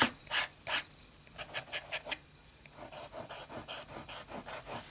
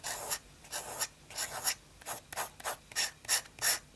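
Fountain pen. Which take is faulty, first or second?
second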